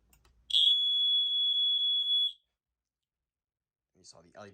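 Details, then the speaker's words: Older 1980s First Alert home smoke alarm, test button pressed: one loud, steady, high-pitched tone for about two seconds, then cuts out; sounding properly on test. "and this one of course does just the usual old you know older 1980s uh First Alert"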